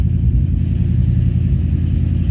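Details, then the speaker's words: 1985 Chevrolet K20 V8 revving toward 5,000 rpm after new timing chain, module and vacuum canister: heavy rumble with uneven stumbles and dropouts around 3,500–4,500 rpm; owner suspects ignition timing is off, unconfirmed. "So I think my timing might be off."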